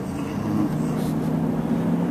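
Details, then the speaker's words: Chevy Suburban on a test drive after u-joint replacement: steady low cruising drone with no clunk, thump, vibration or knocking; the driveline is now quiet and smooth; quiet driveshaft. "no i don't hear it no more no vibration no more thinking noises it sounds good"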